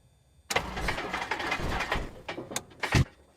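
Uneven cranking chugs catch briefly and die out, with a sharp pop near the end; reluctant start with a backfire. Cause suspected, not confirmed.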